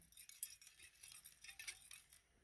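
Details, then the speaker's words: John Deere M tractor carburetor float (believed bronze or brass) shaken by hand after sitting outside 20+ years with the engine seized: light tinny clinks and a loose rattle inside, meaning water got in through a pinhole; new floats needed. "And so if you hear something inside, that means water's gotten in there or is currently in there. And we're going to need new floats for sure, because I guarantee there's a pinhole somewhere."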